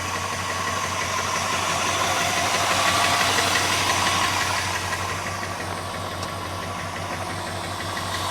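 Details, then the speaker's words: 1981 Chrysler Imperial coupe just started, with good compression reported: light, even tapping about three per second over a steady idle, a lifter tick the owner is leaving unrepaired for now. "sorry for the uh lifter tick good compression I'm not doing a darn thing about it until I need to"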